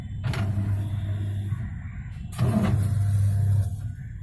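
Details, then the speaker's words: Whirlpool Whitemagic 1-2-3 650H 6.5 kg washing machine during wash: steady low motor hum with a loose, uneven "khat khat" clatter riding on it; knocking from a faulty gearbox. "और इसके में कैसा आवाज आ रहा है, cut cut cut cut. ये आवाज इसलिए आ रहा है गियर बॉक्स लिखे हैं।"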